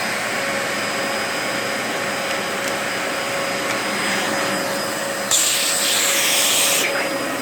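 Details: 2004 Dyson DC14 Animal vacuum, fixed up and on its first run since a new HEPA filter: a steady high whine over the rushing airflow, holding pitch as the head moves. The owner suspects the bearings, saying they sound a bit funky after a while.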